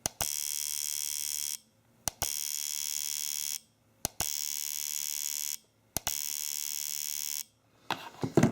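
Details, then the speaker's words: AllSun EM276 fuel injector tester driving an injector: mode two is 50 pulses at 7 ms pulse width, mode three is 100 pulses at 3.5 ms; four even buzzing bursts of rapid clicking with short pauses, normal clean injector pulsing. "mode number two is 50 pulses at 7 milliseconds pulse width and now let's go to mode number three and mode number three is 100 pulses at a 3.5 milliseconds pulse"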